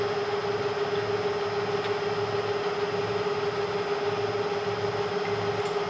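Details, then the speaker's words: Bridgeport Series 1 2HP variable-speed J-head after repair: quiet, smooth whir with one steady mid-pitched tone and no rattle, knock or squeal. Quieter than ever, barely audible even at 600 rpm. Normal quiet running. "it's never been this quiet before listen to that baby purr you can't even hear this thing running at 600 where before it was good"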